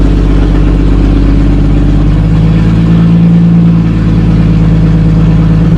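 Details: 1937 Talbot saloon 3.2-litre six-cylinder engine, laid up since the mid-1970s, with fresh oil, ignition repaired and fuel system temporarily bypassed, catches and settles into a steady, low, even idle with a smooth beat and no knocks or misses.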